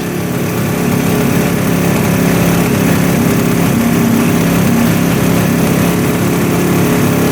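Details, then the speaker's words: 1971 Suzuki T500 500cc two-stroke motorcycle, sat 22 years: fast, uneven idle with rough wandering beat, sounds like sucking air; spraying makes it idle up, revealing an intake air leak at the manifold, where the gasket is missing and may be the cause. "So let's just check around the manifolds and everything for an air leak, because that's kind of what it sounds like. It sounds like it's sucking in air."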